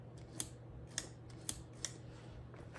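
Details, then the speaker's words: 2023 Honda XR150L at 2,500-mile service, handlebars turned full right: sharp single clicks over a low idle hum as throttle snaps between full and idle; normal crisp throttle return. "if you listen you'll hear the clicks hear that that's at Full Throttle and that's at idle idle full you should hear both full idle"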